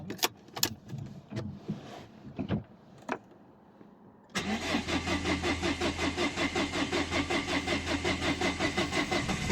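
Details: 2011 Dacia Sandero Stepway, 1.5 dCi diesel, around 200,000, no start one morning, with a rail pressure sensor fault code. After a few clunks the starter chugs steadily at about 160 per minute but never catches: cranks, no start. The cause was still unknown and the car was towed.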